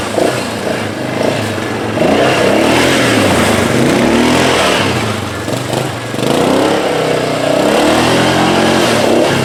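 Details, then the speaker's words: 1998 Yamaha Grizzly 600 4x4 single-cylinder, revived after sitting for years with carburetor cleaning, new lines and oil change; throttle blips pick up cleanly and settle back without stumbling, running healthy. "clean the carburetor up change the oil she's good to go sounds good"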